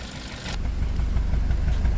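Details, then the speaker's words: 2020 Hyundai Tucson 1.6 turbo GDI, dual clutch, about 100k km, no check engine light: deep idle exhaust note heard at the rear with an uneven stumbling pulse confirming a misfire; scan tool could not identify the cylinder. "Yep, so we definitely have a misfire."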